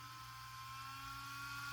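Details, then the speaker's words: Small cooling fan in an RC car, powered from an external 6 V NiMH supply: it spins up gently to a thin, high steady whine that keeps climbing, running far faster and louder than needed for cooling. "vous entendez ça c'est pas moi qui augmente le volume assez le ventilateur qui prend des tours voilà donc forcément ça refroidit bien mais y'a pas besoin que ça tourne aussi vite n'ai pas besoin que ça fasse autant de bruit"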